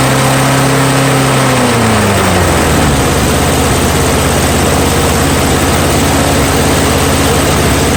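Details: Curb-find Snapper mower, Briggs & Stratton engine, started on starting fuel with air filter off after reassembly despite nicked piston and corroded carburetor: catches, pitch sags then holds steady even drone without misses; normal running.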